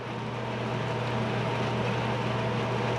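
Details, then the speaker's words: Classic Edge 750 outdoor wood boiler at autumn start-up after annual cleaning, bypass door closed, reaction chamber about 750–829°; low, even roar with soft pulsing, the fire burning properly in the reaction chamber as smoke turns clear. "I don't know if you can hear the rumble we'll look at the fire here in a bit but the rumble is is basically that fire"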